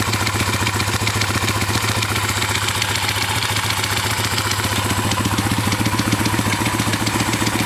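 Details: PitsterPro X2 pit bike revving with a fast, fairly even clatter over the exhaust, roughly three or four ticks a second; weird noise, cause unclear.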